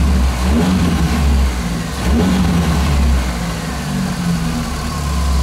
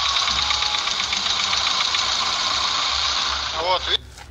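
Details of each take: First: Engine after a diesel-fuel (solarka) flush to cure hydraulic lifter tapping, run 10+ minutes: idles and revs up and back down with no top-end tapping; lifter noise seems gone, normal running. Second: Car engine that is fine cold but, once warm, starts tapping from the hydraulic lifters when revved; the tapping fades once idle settles, and a diesel-fuel flush is planned as the fix. Light, quick tapping at three to four ticks a second over the revving engine. Hydraulic lifter tapping.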